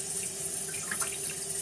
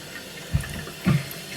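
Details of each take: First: Toilet cistern inlet float valve refilling after a flush, before repair: water trickles in slowly with a steady whistling tone, not filling fast enough; worn diaphragm washer (Siamp 34951309) restricting flow, replaced as the fix. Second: Toilet cistern inlet float valve after replacing the worn diaphragm washer (Siamp 34951309): water runs in with soft gurgling surges, no earlier high-pitched whistle or squeal; refilling normally.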